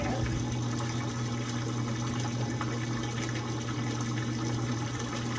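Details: GE washer, newly installed drain pump after not draining or spinning: steady low hum under a constant rush of water being pushed out; pump runs smoothly and evenly, no grinding or rattle.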